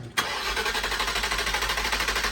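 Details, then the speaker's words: First start on 91 octane fuel after work in Colorado, with the fuel pump primed and air bubbles being purged: short crank catches at once and settles into a smooth, even idle with a steady beat; healthy start. "She's alive on the 91. Sounds smooth."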